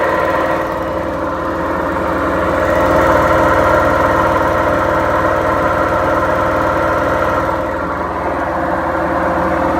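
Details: Beko washing machine, 7 years 8 months old, during spin: steady deep roar with a rumbling drone that swells slightly midway, from failed drum bearings.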